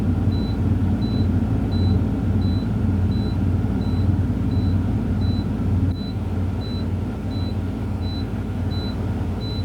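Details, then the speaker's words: Truck diesel in neutral, both brakes set, held at raised revs for a CDL air build-up test: steady rumble with regular high chirp, no knocks; pressure rose from 85 to 100 PSI within 45 seconds; normal build-up. "Okay, I'm at 85 PSI. And now I'm at 100 PSI. This is a good test. I build air pressure from 85 to 100 within 45 seconds."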